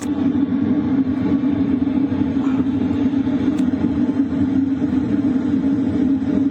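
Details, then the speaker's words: LF Bros diesel heater set to 4 kW, recorded near the air duct with exhaust pipe outside: steady low hum with airflow hiss, no rattles or pulsing; normal running at high output. "What you're hearing right now is mostly the sound from the air duct, and also the exhaust pipe outside. What it sounds like at 4 kilowatts."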